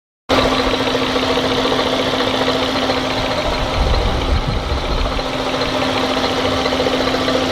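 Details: 1998 Fiat Marea engine at idle: steady droning hum with a faint rough clatter underneath; abnormal engine noise, cause unclear.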